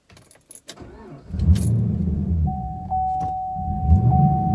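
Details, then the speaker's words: Camaro with aftermarket AEM cold air intake, after clearing codes: keys jingle, steady starter churn with door chime, never catches; mass air sensor harness rubbed on power steering pulley, shorting a fuse and cutting fuel pump power. Crank, no start. "Oh, or I'm not gonna start at all. Oh. Uh-oh. Huh. Hopefully it's not a problem with the fuel pump itself."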